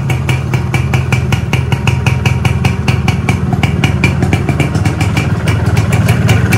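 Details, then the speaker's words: Reassembled Yamaha 125Z two-stroke on first run, block only cleaned, original piston at 25 oversize, new clutch-housing rubber: steady idle with quick even firing and clean low rumble, no bottom-end knock; smooth normal idle. "Sekarang mesinnya udah halus, udah nggak ada bunyi war lagi."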